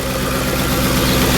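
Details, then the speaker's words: Ford F-150 4.6 V8 after correcting a cam gear installed backwards, first start with known oil leak: steady, even idle with smooth low rumble, no ticks, knocks or misses; healthy. "Wow, it's nice and smooth. I can't believe I fixed it."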